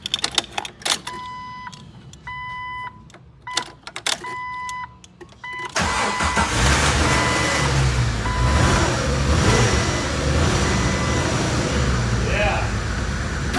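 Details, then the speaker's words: Jeep started after fuel tank work and priming the fuel pump: a few chimes, then cranks, catches and idles slightly unevenly with the check engine light on, not yet scanned. Rough idle. "Check engine lights on, but it's idling. Engine lights on? Yeah, we'll scan it later. But it's alive. A little rough."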